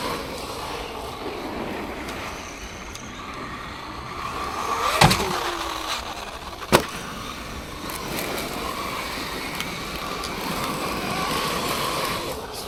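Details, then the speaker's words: Traxxas Maxx V2 RC car, VXL6S ESC on 4S batteries, stock motor, driven over icy rough ground at about -5°C: smooth tyre hiss with a couple of sharp knocks, no whine or gear clatter, much quieter than the Granite. Normal drivetrain. "Feels so quiet, sounds so quiet compared to the Granite."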